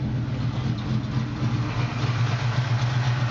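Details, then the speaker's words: 1979 Chevrolet pickup with a fresh 383ci V8 (about 100 miles, still breaking in) and electric choke, idling in the engine bay after a trouble-free cold start: smooth, deep rumble with no stumble, tick or vibration; healthy. "et on voit bien il vibre pas il tourne bien bon ralenti quand je suis arrivé il était froid hein donc démarrage à froid sans problème"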